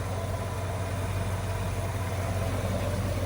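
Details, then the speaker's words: Restored 1965 Ford Mustang A-code fastback, matching-numbers 289 V8, original carburetor and distributor, manual transmission: steady even idle with low rumble, no misses, knocks or ticks; smooth, healthy running. "Fires right up every time. This is really a good running car."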